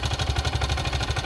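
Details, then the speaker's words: Suzuki Burgman 400 scooter idling on its center stand: a sharp, even bottom-end knock on every firing beat. Owner is pretty sure it's a bad crank pin bearing, which would need the whole engine taken down. "it's got a knock pretty sure it's the uh crank it's in there the whole thing would have to come down"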